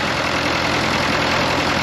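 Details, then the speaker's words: Fordson Power Major diesel crane, first run after sump reinstallation, hard start: steady idle with even beat, no pop in this stretch though it occasionally pops; about 20 minutes total run time since acquired; running pretty good. "it's running pretty good. It does pop a little bit every now and then, but it's been running for all of 20 minutes maybe all up since I've had it."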